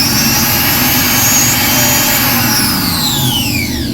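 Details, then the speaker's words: Taco trailer water pump switched on for a check; inlet and outlet water were okay, and the pump was found bad and replaced. Loud, harsh rushing whine with high tones that slide down as it winds off; a rough, failing pump. "so the pump is bad oh no"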